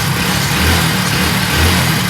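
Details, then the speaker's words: Hero Passion Plus BS6 motorcycle, after setting value to fix stalling, poor idle and jerking: steady idle with gentle rev rises picking up cleanly; response correct; normal idle and throttle. "So start பண்ணும்போது idle பாத்தீங்கன்னா பக்காவா start ஆகுது. பிரச்சனையும் இல்ல"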